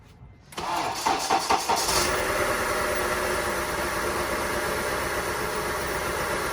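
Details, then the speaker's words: 2003 Honda CR-V K24 after water pump, accessory belt and tensioner replacement, started during coolant refill: brief crank, catches into steady even idle with no belt squeal or squeak. "nice and smooth no squeaky noise back down"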